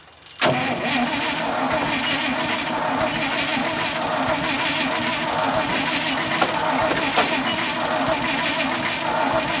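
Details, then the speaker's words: 1966 International ACCO truck, petrol V8, after sitting: long steady cranking that never catches; owner suspects no spark or flooding. "She mightn't have any spark. Give her a rest. They've always been a bastard thing to start these. Any of them I've got are anyway. I think she's flooded."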